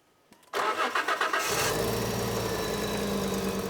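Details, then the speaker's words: Fiat Coupe idling after a short crank; an uneven, lumpy, stumbling beat instead of a smooth run, with an engine light now on that wasn't before. The owners attribute the misfire to the air filter. "That's misfiring. Ah, it wasn't before."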